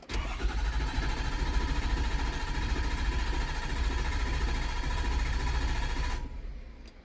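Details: Ford Super Duty 6.7 Powerstroke diesel after CP4 pump and injector install with IQA codes programmed, low on fuel (27 miles to empty): starter churns at a steady low beat about six seconds but never fires; crank no start.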